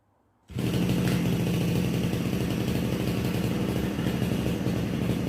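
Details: RBC411 two-stroke brush cutter running after its bent blade tips were straightened and the gear head greased: a steady, even buzzing note with no stumbling or shaking, so normal running.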